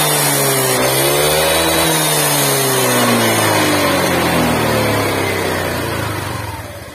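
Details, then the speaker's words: Honda Vario 125 scooter that was run with no oil, started after refilling with used oil: revving with a coarse, uneven roughness as revs rise and fall. The piston had seized, and it smokes heavily and worsens when hot. "Setelah saya kasih oli nggak seberapa, tapi ini sempet gancet ya intinya"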